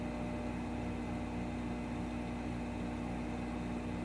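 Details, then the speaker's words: Treadmill motor with torque control, for a Delta drill press (thought to be a 1940s model) variable-speed conversion, running forward clockwise after reversing switch, potentiometer unchanged: steady, even electric hum at constant speed, the slight whine gone; normal running. "it'll run all day just like that and what's nice about the the treadmill motors is it's got the torque control so if something tries to bind it it speeds up automatically pours more power into it"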